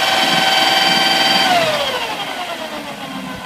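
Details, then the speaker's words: BMW M62TU V8 idling with all belts off: steady tap about four times a second fading as engine winds down; internal engine noise from left bank (bank 2, driver's side), not the fan, source unknown. "Well, the sound seems to be coming from somewhere inside there. And all the belts off, started the car. Still the same sound. No idea."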